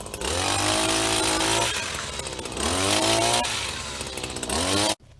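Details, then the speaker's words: Husqvarna 24H single-sided two-stroke hedge cutter, age unknown, spare handle fitted: buzzy revs climb and sag cleanly as the blades cut through thick growth, with no rattle or slipping; running healthy under load. "got through some pretty thick stuff back there"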